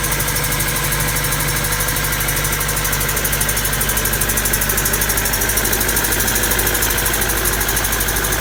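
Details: Honda D16Y7/Y8 "MiniMe" engine at idle with a loose, uneven knock about three times a second; owner suspects a spun bearing from too much nitrous, possibly rod bearing, cause unconfirmed.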